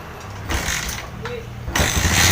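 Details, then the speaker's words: Yamaha Jupiter MX New (double disc), hard starting from weak, intermittent ignition; a couple of kicks, then it catches at about two seconds and settles into a steady idle; now starts on one kick. "Oke, langsung hidup. Oke teman-teman ya, untuk motor sekarang sudah normal, sudah enak dihidupkan, sekali engkol pun juga hidup."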